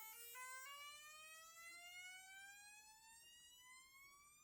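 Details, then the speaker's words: Large homemade coil on a Metglas rod core, first power-up: with the capacitor drained to about 23 volts and drawing 630 milliamps, a clear tone sweeps steadily upward in pitch as the coil charges its capacitor. "It's pulling 630 milliamps. So, we'll just I'll just leave it up hooked up. It's not too much. And here the coil filling up its"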